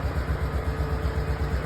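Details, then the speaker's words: Honda 500 ES ATV, about 41,000 miles and 11,000 hours, ridden rough, new adjusted carb fitted and shift problem fixed; steady, even low thump at idle with no knocks, ticks or misses; healthy. "This thing has got 41,000 something miles on it. And like something like 11,000 hours. Listen to this motor. Honda."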